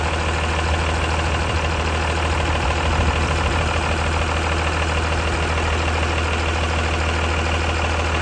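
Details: Diesel with a Bosch P-type injection pump and a fueling issue, started after cracking a line to bleed a suspected air pocket: steady, even diesel clatter with a constant low drone and no misses or surging; now idling normally.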